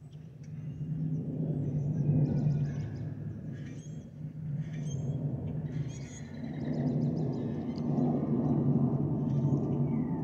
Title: Delta Airlines Airbus A320-212 N342NW DL2498 LGA-DTW (FOPP whistling sound)